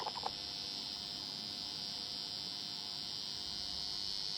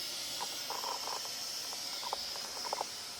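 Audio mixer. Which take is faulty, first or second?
first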